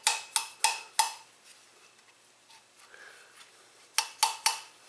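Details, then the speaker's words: 1996 Geo Prizm 1.6/1.8L Toyota 4A-FE/7A-FE head, ~240k miles, exhaust valve after cleaning and lapping, some pitting remains: four crisp taps, pause, three more, each a clean bright ring; valve seats and seals well. "it's a nice sealing valve there so we're just doing the the exhaust here"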